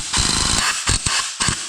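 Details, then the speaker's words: Daikin heat pump fan motor spun by hand gives a rough gritty growl in short bursts; a sound-free spin is normal, so this indicates a bad bearing, fixed by replacing the 8 mm ID ball bearing. "Or when you have it in the machine and you take the fan and spin the fan manually, you shouldn't hear anything. And if you do, it's bad bearing."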